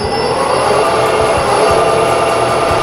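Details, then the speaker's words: Metal lathe running with a steady high gear whine over the motor hum while cutting off an air blow gun nozzle part; the whine comes from the engaged lead screw, and disengaging it makes it quieter with less wear. "can hear the extra whine. It's because of the lead screws engaged. So we'll disengage that. It's a little quieter, a little bit less wear."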